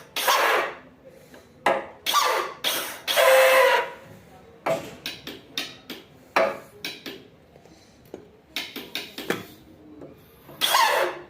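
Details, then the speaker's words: Motorcycle (Mirage/Comet) starter motor tested directly with battery power, brushes reportedly fine after owner disassembled it: spins freely but with a high rough squeal; possibly an assembly error or a faulty starter. "motor de arranque tá funcionando tá livre tá vendo as escovas segundo o dono que desmontou tão boas mas viu só o barulho ou foi algum erro na montagem ou problema do próprio motor de arranque aí"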